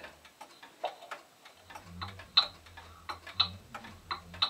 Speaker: notice it sounds sort of like a heartbeat it's going bump bump bump bump bump bump bump bump what we want to hear is bump up top up up up up even like that